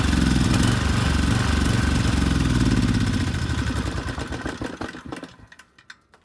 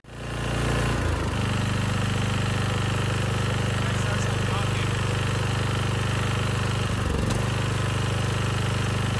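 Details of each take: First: Rebuilt 10HP Briggs and Stratton Storm Responder generator engine (model 21T212-0116-G1), after a knock from an out-of-spec crankshaft, compression 60 psi, run outside at 2800 rpm: strong even pull, smooth wind-down at shutoff; running well. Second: 10HP Briggs and Stratton engine (model 21T212-0116-G1), first rebuilt with a new rod and piston after running out of oil, fitted on another generator under load: rough hammering knock tied to engine speed; connecting rod knock from an out-of-spec crankshaft journal.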